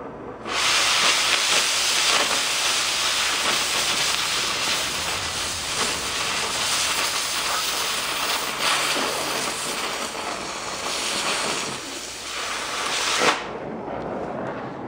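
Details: Oxy-fuel torch with a small tip cutting one-inch plate: steady, harsh hiss for about thirteen seconds, then cutoff; oxygen pressure too low for the plate, so the cut lacks full penetration.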